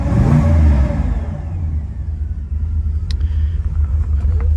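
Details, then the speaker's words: 1969 Pontiac GTO at start: turn the key and it fires right up, rises briefly, then settles into a low, steady rumble with no ticking or knock. Healthy idle at about 50 psi oil pressure. "All right, so we get in the GTO, we're gonna go ahead and fire it up. Turn the key, fires right up."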